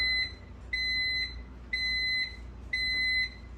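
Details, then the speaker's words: Unbranded microwave, model UMV1170LW00: after its popcorn sensor shut the cycle off by itself once popping slowed, four even high beeps about a second apart signal the end of the cycle. "oh it did it by itself it sensed it i don't know it waited to come on and then it shut off after it slowed popping that's weird"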